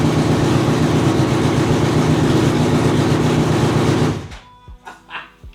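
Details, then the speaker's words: 2004 Honda CBR600RR with new custom full-system catless header and slip-on: loud rapid puffing chatter at idle from a big leak at the header, sounds like a V8, then shutdown. "There's definitely an exhaust leak though, I mean, you can fucking hear that shit. Yeah. Alright, so we're kind of at a predicament here. The thing sounds like a V8 because it's got such a big exhaust leak."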